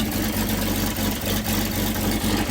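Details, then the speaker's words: 97-year-old Buick Standard Six with the muffler removed, revved: exhaust sounds muffled and too quiet, intermittently opening up louder, with blowback, because the fallen pipe near the engine is blocking the exhaust; the pipe is to be removed and fixed. "Anyway, you would think it would be louder than that, but something opened up and you can hear it now. Yeah, something opened up."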